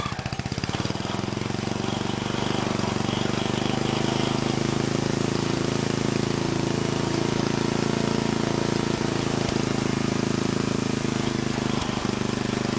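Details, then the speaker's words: Old Troy-Bilt Horse I tiller, single-cylinder, after valve cleaning, a new plug and carburetor work: catches and settles into a steady chug with an occasional sharp pop. It still backfires but now idles, which the carburetor improved. "It's still popping and backfiring, but it is idling, so the carburetor did make an improvement."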